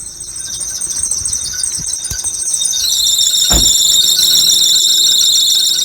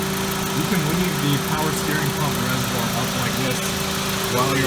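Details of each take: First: 2001–2005 Honda Civic running with a loud high-pitched screech that swells and stays harsh, a slipping alternator/serpentine belt. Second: 2001–2005 Honda Civic after replacing the alternator and power steering belts, which had squealed when the AC compressor clutch engaged, idling with the AC on: an even, steady low hum with no chirp or squeal; the belts are fine.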